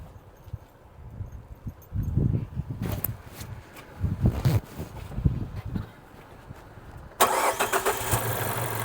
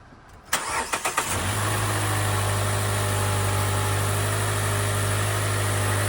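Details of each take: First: Car with a pending cylinder 4 misfire code (firing order 1-3-4-2), suddenly stumbling and unable to exceed 35 mph uphill: lumpy, uneven idle with a stumbling beat. Single-cylinder misfire; owner suspects the cylinder 4 ignition coil. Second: Car that had a cylinder 4 misfire, after the ignition coil was replaced: a few quick cranks, then it fires and settles into a steady, even idle with no stumble or misfire. Normal start and idle.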